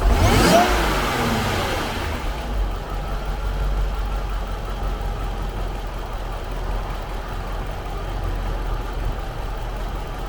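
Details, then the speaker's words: Jaguar XJR supercharged engine, recorded under the hood, stock exhaust; steady low rumble, smooth even idle with no knocks or ticks, normal idle and revving. "So that's what it sounds like on idle, and I'll give it a rev in just a second here."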